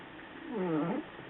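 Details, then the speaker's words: Toyota Prius with AC just switched off: a short wavering squeak of about half a second right after shutoff; owner suspects a flap or valve door closing that routes air through the coils. "heard a little squeak I got like a squeaky valve door thingy or a little flap door thing that closes um because I don't know whenever you shut it off it shuts off a little flap that probably puts it through the coils it cools the air"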